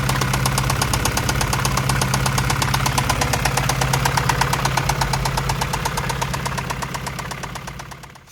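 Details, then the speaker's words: Acura Integra engine at idle after alternator replacement: steady, even deep knocking about three per second over smooth idle; engine knock, cause unknown, owner expects engine replacement. "This is gonna be it, and probably in the future is gonna be a new engine for this thing, because it sounds like it's knocking."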